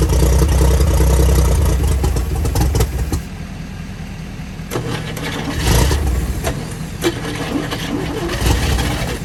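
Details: 1955 Chevy six after starting fluid, running on a temporary feed from a five-gallon jug, fuel pump suspected bad: catches and settles into a steady low rumble with some stumbles; running again.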